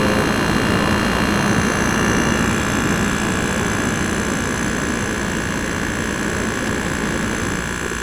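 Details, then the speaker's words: GE 5000 BTU window air conditioner heard from outside at the slightly rusted rear, lots of heat blowing out the back; steady even hum and airy fan rush, no knocks or rattles; normal running. "There's a lot of heat coming out the back, which means it's working good."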